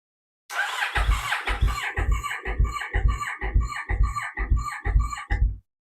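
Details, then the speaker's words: Kawasaki Vulcan S 650 motorcycle at 19,683 miles, fuel tank off, cranked by button press: strong, even starter cranking at about two compression pulses a second with each stroke alike. Healthy turnover, though the fuel pump was not heard priming at key-on. "right that sounded really good uh actually sounded really good so I'm really pleased with that"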